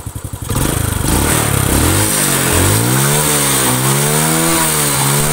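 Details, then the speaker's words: Honda Astrea Grand single, repaired for a compression leak that caused a rough cylinder-head noise and weak power when hot, revved: the note rises and falls evenly with no knock or clatter. Carb slightly mis-set. Normal revving. "nah ini uji pengetesan dibuat Jalan geber sampai mesin suhu bener-bener panas Apakah suaranya masih stabil seperti ini atau kasar gitu loh"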